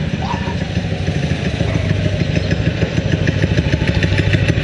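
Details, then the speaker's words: 6.5 hp Predator clone single-cylinder on a springer bike, after carb rejet and reassembly: quick, fairly even chugging with slightly uneven exhaust note, responding cleanly. Owner impressed; apparent missing thought to be just the exhaust note. "yes sir I'm impressed I am impressed I uh I like to wait idols I like the way it responds it does sound like it's missing but I think it's just the exhaust note"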